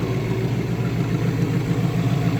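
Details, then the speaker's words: Engine starting on a battery recharged after sitting in a garage: it settles into a steady, even, low rumble with no knocks, ticks or misses. This is a healthy idle, though the owner notes it leaks oil. "Let's get her on. Listen to this puppy roar. Yo, there we go. She's alive."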